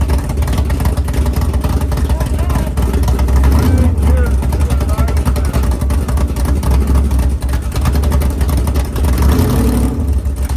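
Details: 500ci big-block Mopar 440 (built by Indy Cylinder Heads) in a 1969 Barracuda, first fire-up in the car: deep loping idle, turned down to about 1100 rpm, rhythmic big-cam chop, no ticking or knocking; healthy.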